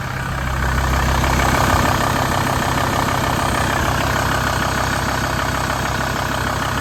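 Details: VW T4 after replacing the engine mount, crank pulley and auxiliary belt to fix an auxiliary belt noise: steady, even idle with no squeal or chirp, belt noise fixed, normal idle.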